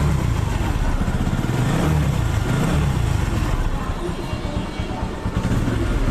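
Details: TVS Apache RTR 2V motorcycle after engine repair for a bad noise from inside the engine: steady even single-cylinder thump with no rattle or knock; previous bad sound gone, engine running normally.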